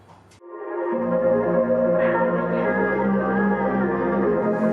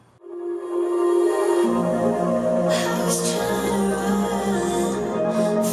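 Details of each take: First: JBL JRX200 speaker bought secondhand, playing music: dull, boomy, very bass-heavy sound with the top end missing; blown tweeter, only the woofer playing. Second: JBL JRX200 speaker after tweeter driver replacement, same song as the faulty unit: clear music with crisp bright highs, no buzz, rattle or distortion, sounding much better than the unrepaired speaker; normal speaker output.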